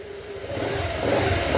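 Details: Honda Click 125 V3 scooter after the camshaft problem was fixed: revs rise smoothly from idle with an even, steady note and no knocking or clatter. It runs normally.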